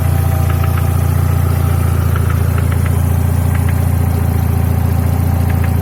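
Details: Mercedes W124 E200 M111 engine, knock sometimes absent, mainly when warm: running with quick steady tapping roughly three or four beats a second over deep hum; internal engine knock, cause unknown.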